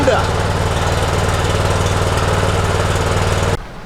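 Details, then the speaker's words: Honda GX390 on a Troy-Bilt 3800 psi pressure washer, after a new gas tank, fuel filter, carburetor, air filter and plug and fresh 10W-30 oil: started first pull on choke, a steady fast chug for about three and a half seconds. "and first pull started right up"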